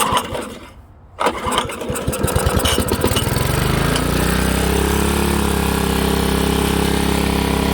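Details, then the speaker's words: Old Honda HRA215 SX self-propelled mower, apparently sat in a shed for seasons, started on choke with a shot of fuel: a few uneven pulls, then runs only on choke and stalls when switched to run; carburettor main jet/emulsion tube plugged. "So when I went to turn that choke off and put it to the run position, it stalled out. And what that tells me is that the carburetor, there's a bowl and a emulsion tube and a jet, tells me that's plugged, because right now it only wants to run off the choke circuit, which forces extra fuel into the engine, bypasses that"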